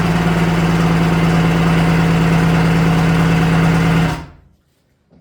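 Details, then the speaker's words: Restored vintage Kawasaki 550SX (reed motor, stage 2 port, dual 38 Mikunis) first start attempt: strong, even cranking that never catches, then stops; no fuel reaching one pickup line, pulse lines good, carb suspected. "Make sure there's fuel. Not seeing fuel yet. Okay, I'm seeing fuel in one. Not seeing fuel in one of the pickup lines. So, the carb might be bad."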